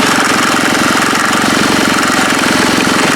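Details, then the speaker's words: HondaX4 mower build engine at fast idle, muffler missing two mounting bolts: loud, rapid, steady metallic chatter, mainly from the loose muffler pipe. Exhaust pipe rattle. "There's also a lot of loose stuff on it, as you can hear. It's nice. It's mainly this muffler"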